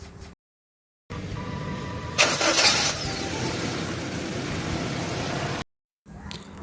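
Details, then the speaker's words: Car that would not crank at all, after starter motor repair: short, brisk crank catching into a running engine within a second; normal starter engagement, fixed. "Jadi yang tadinya mobil ini tidak bisa di starter sama sekali dan sekarang sudah bisa teratasi ya. Jadi mobil sudah kembali normal."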